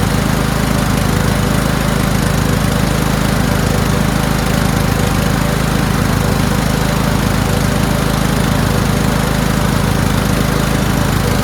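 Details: Toro Wheelhorse 1438HXL with repowered 17.5 hp engine, after mower deck belt and pulley replacement, deck engaged: steady even low pulse, no slipping squeal or knock; everything works. Normal running with deck engaged.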